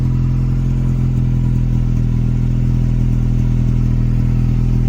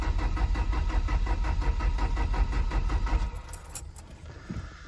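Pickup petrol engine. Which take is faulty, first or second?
second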